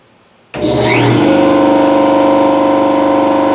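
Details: Air cooler system after a blown hose was swapped for another hydraulic line, tank pumped to 1,100: loud steady drone with a high ringing tone, fast pulsing beat about 210 a minute; sounds weird; owner suspects the hydraulic lines are too small.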